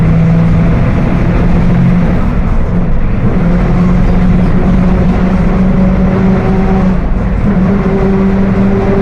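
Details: Mercedes-Benz OF 1721 BlueTec 5 diesel bus (Apache Vip IV) cruising: steady tonal drone over diesel and road rumble, pitch holding with road speed, rear axle differential whining.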